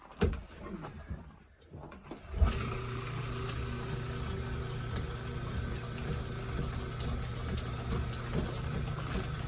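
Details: 1930s Excelsior 2A power hacksaw, restored with cracked bull gear repaired, in a cold shop around minus 10 °C; after handling it settles into a steady low drone with a soft regular mechanical beat, running smoothly; auto-lift still needs adjustment.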